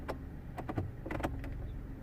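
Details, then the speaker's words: Peugeot 107 HVAC blower switched on: a few short knocks and scrapes, it tries to turn but catches and never spins up; blower jammed by debris. "have you heard that when I turn it on something tried to turn but it's like if it's catching somewhere can you hear that okay let's kind of stop because definitely something's wrong wrong"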